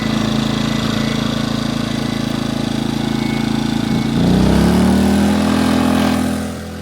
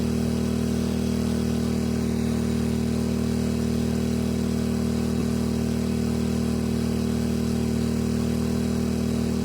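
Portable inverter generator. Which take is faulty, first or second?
second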